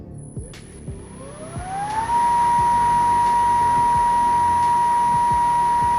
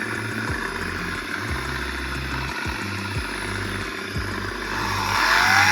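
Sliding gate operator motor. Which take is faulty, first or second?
second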